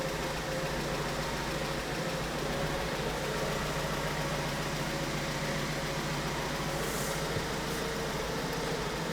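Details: 2008 BMW 1 Series N43 petrol engine, 125 kW, constantly misfiring and running jerky: steady idle with an uneven, lumpy beat and no smooth rhythm; engine misfire, diagnosis pending.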